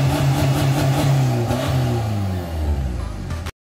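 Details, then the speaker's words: Nissan Navara NP300 diesel with short aftermarket exhaust, after remap fixing inlet pressure fault code, limp mode and check light: loud throaty revs, clean drop back, no misfire; normal revving. "Kereta ni ada bunyi yang best bang. Jom kita dengar dia punya bunyi."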